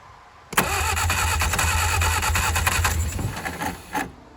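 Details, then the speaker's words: 1959 Reliant Regal Mk5/Mk6 three-wheeler, first start attempt in over 20 years, two-stroke fuel trickled in: rapid cranking with ragged firing bursts that nearly catch then die; fires but won't run, carburettor flooded. "Oh man, she is so close to running. Oh yeah, you can definitely smell she's fired a couple of times now."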